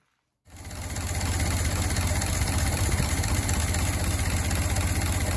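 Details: Barn-find Ford Model T farm truck, first start in many years after simple repairs: low steady even putting idle with regular beat, no knocks or misses; normal idle.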